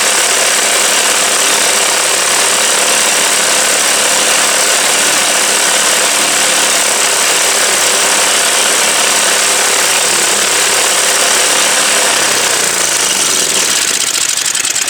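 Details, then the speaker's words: MTD Yard Machine snow blower small engine, sat about a year and a half, running on mixed fuel rather than straight gas: ragged, uneven stumble over a steady buzz, then dies; rough running, cause suspected (mixed fuel), not confirmed. "So, it's still running a little iffy, but I think it's good enough to fold that stuff back together, though."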